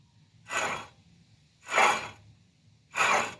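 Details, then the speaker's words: Mercury Mountaineer front hub turned by hand during CV shaft replacement, with a bent stabilizer link and worn ball joints: three rough, gritty grinding bursts from a wheel bearing that is shot and needs replacing along with the CV shaft. "sure you guys can hear that that wheel bearing is shot so sure you could get away with just doing the cv shaft but it also needs a wheel bearing"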